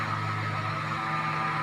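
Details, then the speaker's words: Voltas 1.5 ton split AC: a loud, constant drone with a low hum and a thin high whistle on top. Abnormal noise whose source is unknown. "आप यह आवाज सुन रहे हैं बहुत तेजी से आवाज ए रही है क्या आप मुझे बता सकते हैं की यह किस चीज की आवाज है और कहां से ए रही है"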